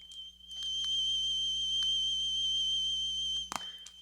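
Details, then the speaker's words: 1990s Sony Walkman WM-F2015 cassette drive playing a 3 kHz test tone that sounds slightly high and wavers as the motor is slowed; tape speed fluctuation (wow and flutter), with a loose or weak drive suspected. "there's the tone hearing a little bit of fluctuation here go down as i slow the motor down"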